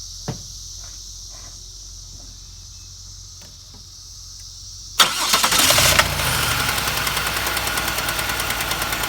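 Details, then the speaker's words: 2005 Chevy Impala LS 3800 Series II, 220,000 miles, misfire on cylinder one and down on power: cranks, starts, then a sharp metallic rap about three times a second over idle, worse with throttle; a wiped lifter, owner suspects the cam lobe. "you're going to hear a wicked wrapping now sound like a a uh two pieces of metal hitting each other which I'm suspecting I'm pretty sure is from down here either the cam shooting the lifter into the lifter bore or something's bumping into it there"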